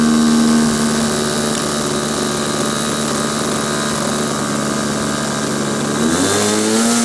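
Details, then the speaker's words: SIG Kadet LT-40 model aircraft glow engine during break-in: loud, steady high buzz with a slightly uneven, burbly note sagging near the end; mixture too rich, needle later settled around vertical position. "okay that was obviously too rich start it up again"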